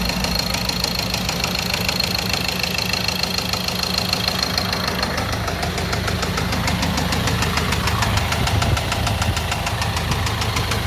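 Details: Ford Transit diesel with burnt injector sealing washers leaking compression into the engine, causing heavy smoke from the breather; sharp, regular knock at around a hundred per minute over the diesel clatter, diagnosed as connecting-rod knock.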